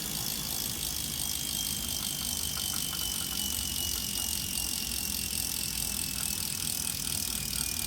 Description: During load (pedaling) or coasting (not pedaling) the smart trainer creates an extremely loud distorted noise that wasn’t heard before.